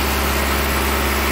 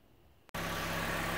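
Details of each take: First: This 2008 Hyundai Accent had a totally dead cyl#2 and code P0302. I diagnosed the problem to be a split intake manifold gasket allowing too much air into cyl#2 and would run lean at idle to the point of misfiring. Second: 2008 Hyundai Accent at idle after repairing a split intake manifold gasket that caused a lean cylinder 2 misfire (P0302, fuel cut to cylinder): steady, even hum, runs smooth with no misfires or stumbles.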